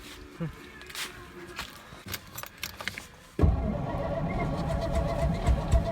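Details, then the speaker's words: 1963 Studebaker Lark, after refuelling with lead substitute added: starter cranks steadily about four times a second for a long time without the engine catching; long cranking without starting, starting fluid fetched. "I gotta just crank it forever. I go get the start fluid."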